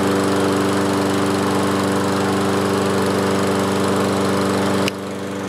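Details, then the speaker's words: Toro Recycler 22-inch mower with a single-cylinder Kohler engine and automatic choke, restarted after sitting over four years. It holds a steady, even drone with smooth firing and no stumbling or surging; runs healthy. "yeah so uh as the engine heats up this choke this automatic choke opens up and when it opened fully it was running really really nice I'm happy about that"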